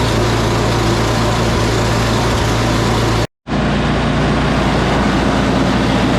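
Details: Salvaged "big red" snow blower started on recoil with choke on and primed, oil looking new, spark plug heat range 2: steady, even single-cylinder drone holding constant speed through a brief cutout, no misses or surging; normal running.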